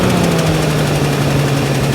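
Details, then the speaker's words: 1969 Ford Bronco V8 with new intake and carburetor, running after fuel pump wiring fix, mixture rich: steady, even idle with low smooth burble, no misses or knocks; exhaust leak suspected on one side, linkage holding idle slightly high. "There we go. We're just gonna let it sit here for a minute. Make sure she's running well. Fuel pump is fuel pumping."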